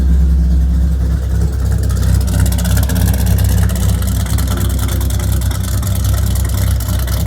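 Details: Dodge Viper V10 with headers and exhaust work, idling in a garage: low, steady idle with even rumble and rhythmic exhaust pulse, no misses or knocks; healthy idle.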